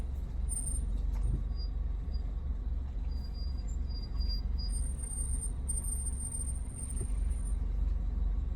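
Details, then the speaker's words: 2017 Land Rover Range Rover Evoque rolling slowly without the brake pedal pressed, after driving all day: thin high squeals come and go over low road rumble; owner says not rust, cause unknown. "I've been driving all day I don't know why they're squeaking like that it's not rust anything"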